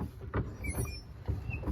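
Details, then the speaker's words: 2020 Can-Am Defender Pro HD10, center skid plates removed, noise duplicated at the front driveshaft: four low, rough thumps about twice a second. It occurs only in four-wheel-drive high at higher speeds, and the driveshaft carrier bearing is the suspect. "I don't know if you can hear that but it sounds like more similar to the noise I was hearing my customer also told me that it only happens in four-wheel drive high at higher speeds"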